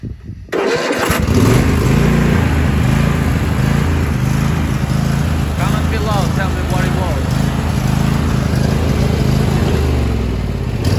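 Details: Troy-Bilt Super Bronco XP 24 hp riding mower with 50-inch deck, bought as a no-start, with its dead battery swapped for a fresh one: a brief crank, then it catches within a second and runs steady and even.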